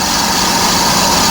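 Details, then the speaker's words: Trailer electric brake drum on a lathe, cutting into original metal: constant, even high hiss with no rise-and-fall or chatter, showing the drum turning true and cutting evenly. "all right see that that's a beautiful sound see that's your original meat right there so I know it's turning true because you can hear"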